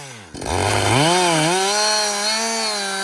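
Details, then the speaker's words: Husqvarna 562XP chainsaw, reflashed by the shop after dying when hot and stumbling; about two-thirds of a tank in. It revs up, and the pitch dips as the chain bites, then holds steady without bogging or surging. It runs normally under load. "so far it's running great um I've got I'd say about I don't know two-thirds of a tank gone but listen"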